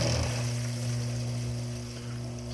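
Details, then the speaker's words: Campbell/Brady Quiet Check Valve 0823-15C on a sump pump, about a month old, full well: low buzz and gurgling as water and air pass when it opens; closes softly with no water hammer; to be replaced. "probably heard that buzzing sound there's a lot of water I turned it off for about a day so the well is probably full and you'll hear that it does close softly there is no water hammer but that initial gurgling is the the ultimate problem"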